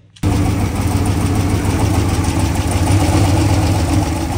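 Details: 1964 Ford F-350 after new water pump, radiator and temp gauge: catches after a brief crank and settles into a steady, even low idle with no misses or knocks, no water leaks; healthy cold start, may need more choke.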